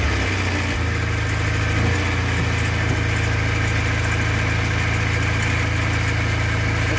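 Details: Škoda 1000 MB / 1100 MB De Luxe idling after its first start in 15 years: a steady, even low throb with no knocks or misses; smooth, healthy idle.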